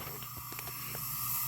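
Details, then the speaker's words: 1981 Honda CB900 Custom leak-down test, cylinder 2 under pressure: steady airy hiss heard from the crankcase, none from exhaust or carburetor; air getting past worn piston rings, valves OK on this cylinder. "ly, you can hear, once again, like number 1, you can hear air getting past the rings, but again, there is no air coming out of the exhaust or the carburetor."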